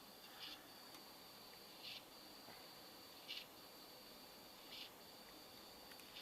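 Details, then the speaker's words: Computer that was getting bogged down makes faint, soft clicks about every 1.5 seconds over a quiet hiss. A crashed hard drive is suspected. "I don't know if you guys can hear that or not, and I think it sounds like the hard drive has crashed."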